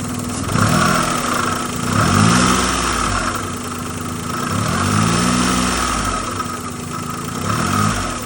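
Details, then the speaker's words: Daihatsu Naked kei car with Hummer body kit and aftermarket intake, two-wheel drive, engine revved repeatedly: revs rise and fall smoothly with a faint intermittent hiss on each rev; owner suspects a loose vacuum line. "Sounds like one of these vacuum lines are loose outside of everything else."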